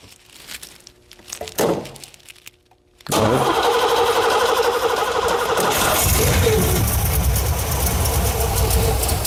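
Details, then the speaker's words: 1987 Firebird with freshly swapped cammed 350 (bored .040 over, Lunati cam, Holley 650 carb), headers oil-soaked: starter churns steadily about three pulses a second with rough surges but never catches; fuel pressure and return seem insufficient, cause not confirmed. "Doesn't seem like we're getting the fuel pressure the return."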